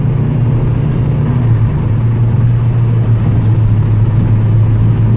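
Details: Highway pull after a 19T turbo swap, untuned, limited to about 30% throttle and roughly 10 psi boost, with green injectors installed: a steady, deep engine drone holds evenly under load with no knock, whistle or hesitation; a healthy pull.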